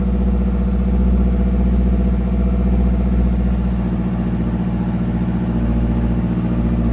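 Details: 2010 Mazdaspeed 3 at first start after dash removal and a used body control module swapped in to cure a U0140 code, check engine light flashing: steady, even idle with a low, smooth drone, no knocks or misses; running normally.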